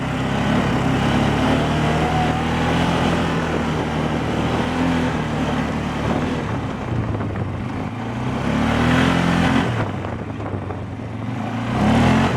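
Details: 2012 Polaris Sportsman 500 H.O. single-cylinder ATV, three days old, CVT: knock at idle thought normal, plus harder deeper knock under load like piston or rod slap, about four a second rising with revs; cause suspected, not confirmed.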